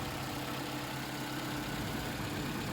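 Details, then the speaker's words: Toyota Camry 2.5 L after switching from 0W20 to Mobil 1 5W30 on a hotter day: steady even idle hum, quieter, less whine and less tapping, smoother, though new oil alone may help. Normal idle. "Definitely quieter and less whine and less tappity noise. Definitely seems a bit smoother, but also sometimes just changing to a new oil also makes the engine run happier."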